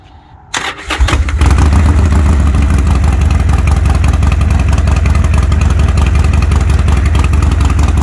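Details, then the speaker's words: 2020 Harley-Davidson Roadster XL1200CX, salvage bike under restoration, started after reconnecting speedo and dash wiring: cranks and catches within a second, settling into a steady, lumpy even V-twin idle; runs great, though check engine light is on (owner suspects the reconnected harnesses). "but it's a good one [Music] it runs great"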